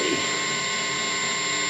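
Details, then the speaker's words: Small used practice amp turned all the way up with no playing, picking up a lot of noise: constant loud hiss with a faint high whine and low hum, owner blames mostly his pedals. "And it's not that it's noisy, it's that it can pick up noise really a lot. So here it is turned up all the way."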